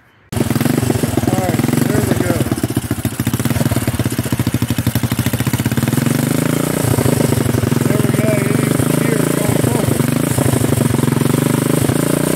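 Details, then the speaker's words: Homemade buggy with a single-cylinder engine that hadn't run in a while, in gear and moving under its own power: loud thumping with an uneven beat and irregular chuffing; owner attributes the rough running to low oil. "so now you got to hear it and seen that she moves under her own power so and it's not quite acting the way it's supposed to because she's low in oil"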